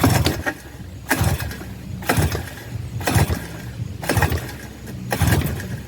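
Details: 1984 Suzuki LT50 two-stroke quad that sat outside uncovered for years, with a little choke on: pull-cord strokes about once a second turn it over, but it never fires or catches. Cranks but will not start, before starting fluid is tried.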